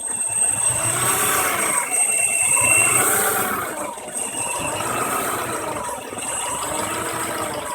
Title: Rough idle 93 ej22